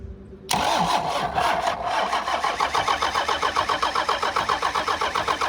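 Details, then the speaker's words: Old Dodge diesel cranking with all injector lines cracked loose to bleed fuel; steady starter churn, about three to four compression pulses a second, no firing yet; fluid then reaches a couple of injectors. "Alright, so I got all the injector lines cracked loose. I'm gonna crank it over and see if we can't get it to fire at least."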